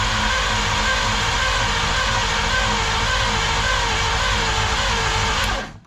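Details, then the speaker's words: 1953 Studebaker Starliner, off road possibly 45 years, 12-volt battery direct to starter with 6-volt ignition: fast even starter whirring about five seconds, no catch; spark inconsistent, owner suspects ignition points not clean enough. "The spark doesn't look real consistent. So, I think it might still be the ignition points not clean enough. So, they don't always make contact."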